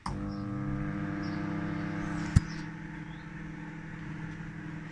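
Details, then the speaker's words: Microwave oven after cleaning and refitting the waveguide cover to cure sparking/arcing, running with water inside: even low mains hum, steady fan drone, one click, no crackling or arcing; it heats normally. "Okay, see if it's working now. I take it out, see if it's hot. Yes, it's nice and hot."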